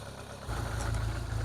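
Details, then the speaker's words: Rover 25 GTI, 1.8 VVC 143 bhp, at warm idle. A low exhaust rumble with a faintly uneven beat; an intermittent misfire appears once up to temperature, heard mainly from the exhaust. "Bad news. It does sound to me as though now it's gotten up to temperature. That misfire seems to have reached on this side."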